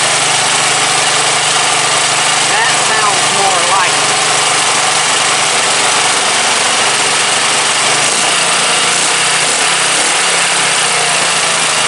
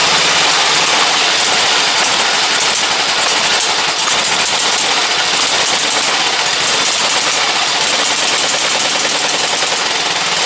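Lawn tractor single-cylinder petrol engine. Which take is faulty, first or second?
second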